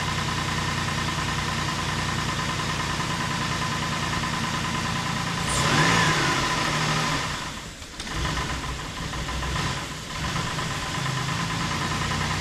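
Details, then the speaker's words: 2008 Ford Explorer 4.0 SOHC first start after timing chain replacement and engine reinstall: idle sags and recovers a couple of times, hunting; owner suspects a vacuum leak, though it sounds better than before. "all right battery up see what happens that's good so far [Laughter] a little bit of a hunter [Laughter]"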